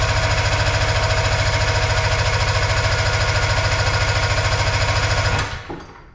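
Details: Arctic Cat Puma Deluxe 340 snowmobile, sat about 10 years, just after the carburetor was reinstalled with no primer bulb: steady cranking at about 3.5 beats per second for five seconds that never catches; cranks, no start. Plugs found wet afterward.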